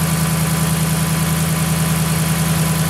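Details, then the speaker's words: 2010 Dodge Ram 1500 5.7L Hemi, crunchy growl and rocking water pump pulley, started briefly with the belt off: even, steady idle, no crunch, so the water pump bearing is bad. Water pump bearing noise, absent with belt off. "yeah water pump quiet now [Music] all right now you determine your water pump is toast"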